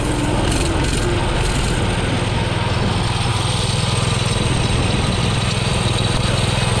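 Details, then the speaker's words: Baja Doodle Bug mini bike with Subaru 7.0 engine after carb rebuild: steady loud single-cylinder putter at constant throttle but down on speed; owner suspects a remaining carburetion issue. "there's still some kind of carburation issue it's not as fast not really sure what's going on"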